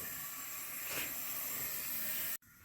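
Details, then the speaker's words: 1981 Honda CB900 Custom with poor running, leak-down test on cylinder 4. Loud steady air hiss for over two seconds, air escaping into the crankcase, 85% leakage. Suspected worn piston rings, possibly bad exhaust valves. "Testing number 4 cylinder, and listen for the air. It's going right down in the crankcase, and we have 85% high leakage on number 4."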